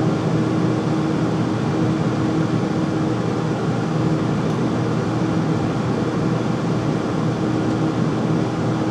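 Constant loud whooshing drone with a steady low hum underneath, no knocking or rhythm; the furnace runs noticeably louder than it should.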